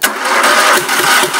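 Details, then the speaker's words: Two-cylinder engine with spark confirmed on both cylinders; owner suspects fuel, won't run on the back plug: steady cranking with a rough, busy rattle that never catches; crank no start, later found to be valves staying open. "all has me to believe that it's not a spark issue it's a fuel issue"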